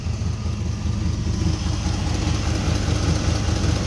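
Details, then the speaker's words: Holley 750 carburetor on a V8, idle mixture screws at one and three-quarter turns out: deep idle with a slightly uneven, loping pulse; running rich, with exhaust smoking. "all right so right now i've got it at one and three quarters of a turn out it's definitely running rich"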